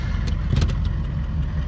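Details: 1978 Chevy Malibu with a swapped 6.2L diesel, HX35 turbo, Turbo 400 transmission and 3-inch straight pipes, just started: deep, chunky idle with a steady beat and a few clacks right after start; runs healthy.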